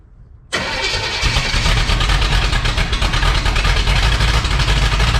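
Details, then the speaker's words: 1962 Impala 350 V8 at first start, timing way off, no coolant, valves needing adjustment: runs but surges and stumbles unevenly instead of holding idle; rough running. "That's something. Definitely ain't running right, but it's something."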